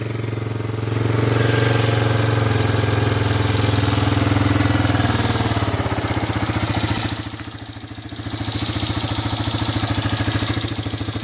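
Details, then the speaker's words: 1985 Honda Big Red 250ES on cold start after sitting a long time, choke partly on, weak battery, smoking: uneven single-cylinder thumping at a lazy idle, revs sag almost to stalling then recover, a rough cold idle that tends to die. "choke on a little bit because this thing likes to die well there it is"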